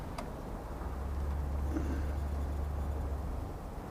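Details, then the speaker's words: 1970 Cadillac DeVille convertible V8, a two-owner car that starts easily in the morning after a few pedal pumps; deep, steady, even idle rumble with no knocks or misses under some wind noise, sounding healthy. "And it starts up easily in the morning, just a few pumps, crank it, and it fires right up."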